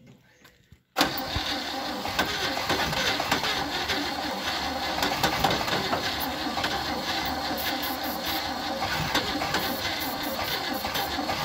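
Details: 1957 Chevy 210, first start since 1991, carb cleaner used and a valve sticking slightly; catches after a silent second and runs at a fast, ragged, uneven idle. Rough running after long storage.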